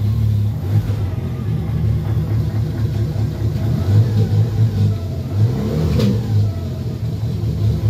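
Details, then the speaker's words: Remapped N45 1.6 engine in a 2004-2006 BMW 116i E87 race car, first start in six months and still cold, idling slightly lumpy and uneven, normal until hot; oil pressure is steady at 75. "it's running it's running a bit uneven they always do where they've been remapped they run uneven until they get hot"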